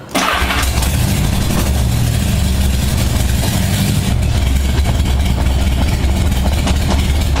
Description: evilratwing 1978 Honda Goldwing cold start after carb sync. After not much warm-up time, it settles into a nice idle.